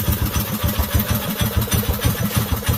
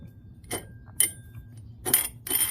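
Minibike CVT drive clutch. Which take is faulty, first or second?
second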